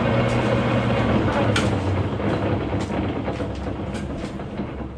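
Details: Lathe machining the new piston and rings for a 1911 Stickney 7HP hit-miss engine; busy, loose clattering rattle like rocks in a bag over the running hum, from a wobbling lathe drive pulley rather than the headstock; not yet fixed.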